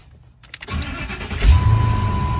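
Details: 2000 Ford F250 or 2003 F350 Super Duty, start in neutral during neutral safety switch replacement, truck in neutral on slight incline; short crank, catches cleanly, smooth steady low idle without stumbling; normal start.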